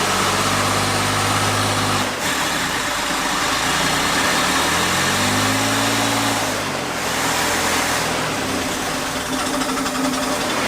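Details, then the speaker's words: 1966 Chevy Corvair, barn find idle about 20 years, first runs: engine surges unevenly, pitch swinging from loud and powerful to flat with no power. "what is up with that sometimes it's really loud and that's what's making power and other times it's just like it's not making any power"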